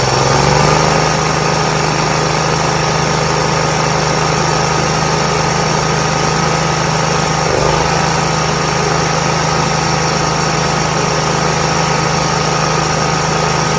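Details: Toro Z Master 149 small twin engine holds a steady, even idle after installing a new ignition coil, kept at low throttle for the test run; no misfire or stumbling, both cylinders firing, running normally.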